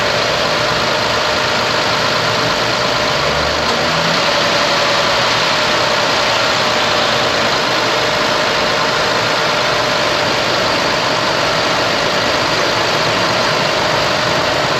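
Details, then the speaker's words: Running with AC on after front-end harness and fan controller replacement, engine below operating temperature: steady engine with smooth fan rush, no roar or surging, fans no longer blaring as before; fans cycling normally. "fans are on but they're not at 100 percent yet because it's not up to operating temp but before man you could hear those fans just blaring they were so freaking loud but now it's good"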